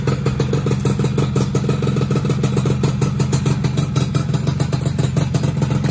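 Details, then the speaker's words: Freshly rebuilt two-stroke engine first start on old small CDI: choppy idle with uneven popping beat and faint clatter, struggles to settle; owner suspects main and pilot jets too small. "Ngok guys, kayaknya kurang gede ini main jetnya. Pilot jetnya kurang gede kayaknya."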